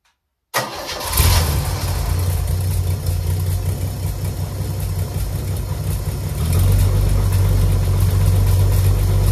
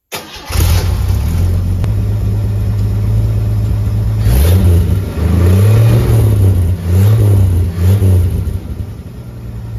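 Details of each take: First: Chevy 250 inline six in a Willys build, first start, 2.5in stainless exhaust with MagnaFlow muffler, no water, in neutral, fan belt off: deep idle with rough puffing tick about four per second from a bad exhaust leak between the manifold halves; 40 psi oil pressure. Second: Chevy 250 inline-six, after finding TDC and fitting plug wires; it catches, takes a couple of blips, then settles into an even, mellow idle with no misses or knocks. Healthy normal idle.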